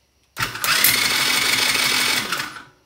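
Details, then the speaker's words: TaoTao ATA110 110cc Chinese ATV engine, cranked on the starter for a compression test before a top-end rebuild: fast, even whir with no slowing on any stroke; zero compression. "all right let's hook up the compression check and just see what we come up with i'm not thinking it's going to be very good"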